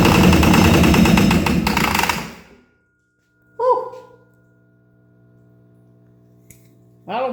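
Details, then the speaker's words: 1970 International Travelette with 6.9 IDI diesel, cold start advance on, trying to start: rough rapid clatter for two seconds then dies, running on ether only; no fuel delivery yet, fuel line being checked. "the eyes sting God damn well that was all ether she's not getting any fuel yet"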